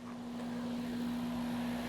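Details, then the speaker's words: Home AC condenser running on Generac standby generator power during a simulated outage: steady low electrical hum and smooth fan rush, no rattles or squeals; the generator's sound changed when the compressor started; condenser runs normally. "Air conditioner sounds okay. You know, I gotta say, with the generator changing sound like that when the air conditioner started, I can only imagine what this sounded like when it started up."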